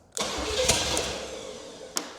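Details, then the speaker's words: 1968 Buick Skylark GS California with swapped-in later Buick 455 V8, long sat: after carburetor bowl primed, engine catches right away and revs about two seconds, then dies as the priming fuel runs out. Engine starting on primed carburetor. "Spray it down. All right, let's give it another shot. I just want to hear it run for a little longer."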